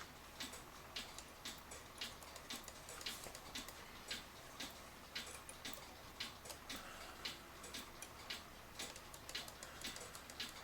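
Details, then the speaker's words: Citizen battery-powered cuckoo clock with slip-clutch pendulum, leveled after stopping when tipped; even tick-tock just under one beat a second, steady with no stumbles, pendulum running normally again. "I don't know if you can hear the tick tock or not I can tip it it stops I bring it back over and it's going again"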